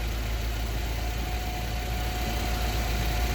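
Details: Yale GLC050 forklift, Mazda F2 throttle-body injected engine, lean-at-idle fault code 522 with new injector installed: low even idle rumble with faint steady tone, no stumbles; normal idle.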